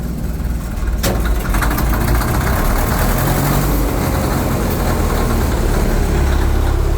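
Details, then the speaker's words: Austin Western 99H grader, cold start with the temperature still very low, just switched from the magneto/carburetor start over to diesel injection: a deep, uneven diesel rumble with a faint strained drone as the hydraulics labour from the cold. "we can hear the Hydraulics they're struggling because it's so cold but like I said now it's running on diesel"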